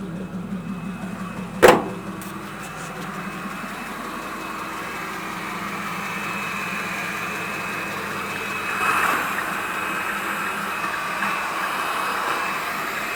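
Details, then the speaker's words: 1941 petrol pickup just restarted after a wet-weather no-start, dried with compressed air and a heat gun on the distributor: a brief knock at startup, then a low, steady, smooth engine note with steam coming off the manifold. "the uh stem coming off the manifold look okay that's good it's running"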